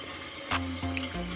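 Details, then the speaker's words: Toilet after replacing the fill valve (old one shook the wall on flushing): quiet running water with soft tonal bursts as the tank refills, no banging or vibration; fill valve works normally. "there's no leaks there's no water it's still filling up right now so that's a great sign"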